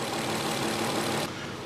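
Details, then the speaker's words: 1993 Infiniti J30, 101,000 miles, idle: uneven lumpy run with dull thud; two faulty injectors, one high resistance, one sticking/late-opening pintle, number six running lean; all six injectors recommended, intake manifold removal needed. "we have confirmed that we have two faulty injectors one has high resistance one has a sticking pencil or it's a delayed movement of that pencil"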